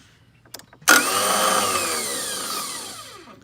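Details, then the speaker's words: Toro TimeCutter zero-turn mower starter: a few light clicks then a sharp high whir winding down with no engine catching, sometimes starts after many tries; starter spinning without engaging. "this is the sounds that it makes um when you have a bad starter hear it spin"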